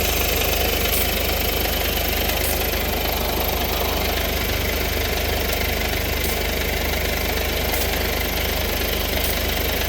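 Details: 2014 Mercedes-Benz at idle after an exhaust recall was performed: steady hum with quick, fairly even puffing tick about three times a second, an exhaust leak, with smoke emission.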